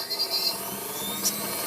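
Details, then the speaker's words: Mixer grinder running: high whirring with rough rattly edge and uneven buzz; brushes fine, motor shaft found to have excessive end play. "ये मिक्सर जो इस तरह से आवाज़ कर रहा है, तो हमें इसे रिपेयर करना है।"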